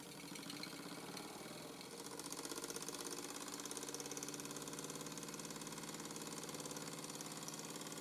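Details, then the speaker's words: Old Mamod TE1A oscillating-cylinder toy steam traction engine running fast with a light, regular knock each turn; the crankshaft support bracket is badly bent, so the crankshaft is out of line with the cylinder. "As you can hear, it's knocking a bit, but this is hardly surprising. The bracket that supports the crankshaft is very badly bent, so the crankshaft isn't even in line with the cylinder."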